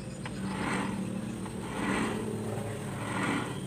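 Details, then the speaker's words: Honda Beat carburettor scooter (about 2010–2012) CVT after replacing the worn bearings, rear wheel spun by hand with clutch held: soft, even swishing, no more crunching. "ini ditahan ya diputar roda belakangnya ya diputar roda belakangnya lalu sudah guys tidak ada bunyi kresek kresek"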